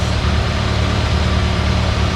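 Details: IH 140 tractor after restoration with new radiator, hoses, belt and water pump, coolant topped off; deep even idle with steady beat, nothing knocking or grinding, transmission much quieter than before, PTO turning; running healthy.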